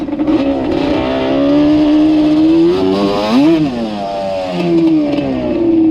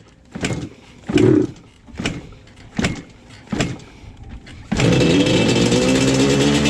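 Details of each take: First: Yamaha Banshee two-stroke ATV with Alpha Cup 350 kit after curing its bog, warm, no choke; clean crisp revs climbing and dropping quickly with no hesitation, healthy sharp throttle response. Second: Yamaha Banshee two-stroke with very low compression, easy to kick over. A few kicks, then it catches and stumbles off idle, spitting and hesitating on blips; bogs at low rpm and misses once warm. Stuck top piston rings.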